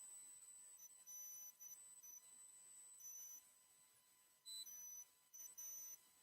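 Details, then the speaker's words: Microphone squeal on a livestream: high thin whistling tones switching on and off in short bursts over a quiet background; the problem was thought fixed the day before, and the owner suspects a fan or his hearing aids. Cause unconfirmed. "I do not know what is into this thing we had it beat yesterday I wonder if the fan is causing the noise or maybe my hearing aids"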